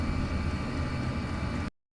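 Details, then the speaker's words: Chinese diesel heater running quietly after an ultra-quiet fuel pump was fitted: steady low whooshing rumble with none of the old pump's ticking or clicking, much less noisy than before. "yeah if you um look at some of my other videos you you'll actually hear it same heer you'll hear it so much more noisy than this"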